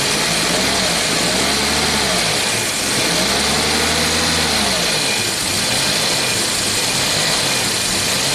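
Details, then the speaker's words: 1990 Jaguar XJS V12 after about 5 minutes of warming up: idle speed too high, climbing and falling in slow waves every couple of seconds; surging warm idle, auxiliary air valve and idle control being researched. "So we'll look up some service info on all data, see if we can get this thing back on the road. Alright, so about after 5 minutes of warming up, this is what it's doing. Why is that?"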